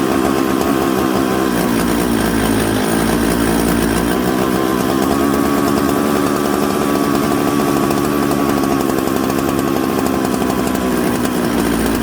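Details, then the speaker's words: Mixmaster chainsaw built from Husqvarna 266 and Jonsered 630 Super parts: smoky, soft, blubbery bumble off idle instead of a crisp note; rich low-speed mixture, corrected by turning the low jet (nearest the cylinder) in. "so you hear how smoky it had a little bit of a bumble off idle so what i did was i turned the low jet in the low jet is usually the one closest to the cylinder almost"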